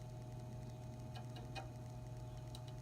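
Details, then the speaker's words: GE box fan motor after service with a replacement switch, run forward and reverse on low, medium and high: a quiet, smooth, steady hum with washers faintly audible, spinning freely. Normal running. "So we appear to be running. You can hear the washers in there a little bit. But I think that's smooth, so I like that."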